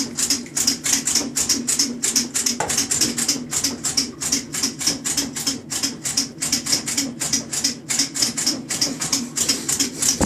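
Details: KitchenAid top-load washer during agitation: rapid rattly clicking with chirpy squeaks over a low hum, abnormal noise.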